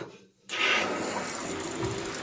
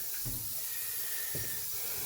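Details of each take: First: Toilet cistern refilling normally and quickly with a strong steady hiss after repair; the slow refill had been caused by a worn, torn rubber diaphragm washer in the fill valve, and the float arm was also realigned. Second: Toilet cistern refilling with only a thin, steady trickling hiss, taking five to ten minutes instead of under a minute; the fill valve has a torn diaphragm washer.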